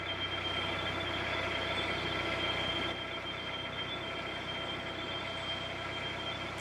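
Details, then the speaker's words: Narrowboat underway: steady high-pitched electronic beeping over the diesel's low even drone, with the control panel battery light flashing; warning alarm sounding, cause not yet known. "so you might hear that beeping noise that is on the control panel a battery light flashing and it's beeping"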